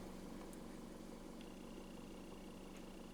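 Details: 2014 Chevrolet Cruze 1.8 L with P0496 code, after purge valve replacement: quiet, even idle hum with steady low drone, no misses or surging; fuel trims balancing near zero, purge commanded about 8%, closed loop, healthy.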